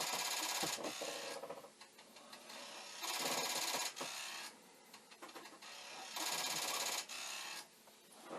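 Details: Commodore 1541 disk drive for the C64, board loosely attached and mechanism adjusted: rapid, harsh buzzing chatter in bursts about three seconds apart as the head bangs against its stop instead of reading.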